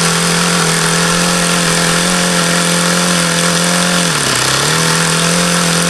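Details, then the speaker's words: HP VT 21 rotary-valve four-stroke model engine: high steady idle that sags and stumbles for about half a second, then recovers. Uneven idle; owner believes the low end is still rich despite leaning the low-speed needle. "that was as low as I could ever think I've gotten it to idle see I could get it to go lower as long as I kept an eye on there like it's still rich that's why I was going leaner on this low speed because that's what that seems to indicate"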